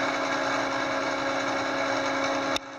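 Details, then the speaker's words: Gerber D200 plotter self-test: X-axis stepper drive buzzes with a steady mid-pitched tone and rough, gritty rumble, staggering, then cuts off; rough-running X drive, cause unconfirmed. "X exhibiting some staggering. Tones are the X drive. Seems to have like a rumble"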